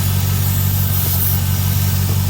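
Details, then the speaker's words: C5 Corvette V8 idling with a dry-rotted, broken PCV hose; slightly uneven, lumpy beat with a faint hiss, a vacuum leak from the broken PCV line. "PCV line on here kind of got dry rotted and broke the other day. So maybe you can hear this little whatever,"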